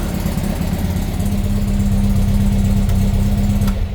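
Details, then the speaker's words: VW Baja Bug with an air-cooled 1776 flat-four, running again after a carb fix in which mislabeled, undersized jets were found. Steady, even idle with a smooth low thrum and no misses or knocks. Normal idle. "As you can hear, the Baja bug is running yet again after sorting out some carb issues that I'll talk about in a minute."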